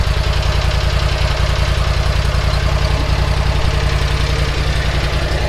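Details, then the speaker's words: Bush Hog zero-turn mower engine running after engine and carburetor work: steady, even low thump around 214 beats per minute, no misses or surging, carburetor working well. "sounds great carburetor works perfect oh perfect"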